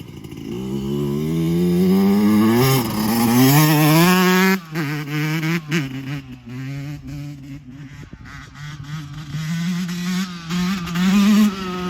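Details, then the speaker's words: 2024 Yamaha YZ125 two-stroke after new FMF pipe and silencer, JD jetting kit and Castrol full-synthetic oil at 40:1 to cure jetting problems and fouled plugs: crisp blips rising and falling cleanly, no stumble or bog; power band hits quicker and harder, idle still slightly high; pulls clean and healthy. "I mean the Power Band comes on way quicker harder uh I mean I just literally slipped the clutch and I was like in power"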